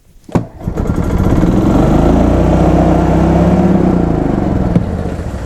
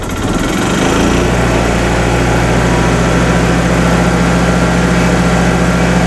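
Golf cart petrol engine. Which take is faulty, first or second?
first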